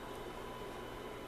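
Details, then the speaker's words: CB radio receiver after swapping RF transistor to 2SC2999 E, tested at 0.5 µV on 27.205 MHz (channel 20): steady even hiss, no signal breaking through — noise floor rose with the higher-gain transistor, sensitivity worse. "it's noisier than it was before well gee who would have thought you put a transistor with more that bit more gain in there you got more noise"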